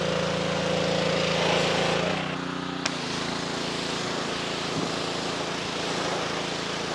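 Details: After a pump replacement (an unloader repair was tried first and failed), a 2.4-gallon Simpson pressure washer with no pressure now runs normally. Its small engine holds a steady, even drone that dips slightly as the pump takes load, then runs smoothly.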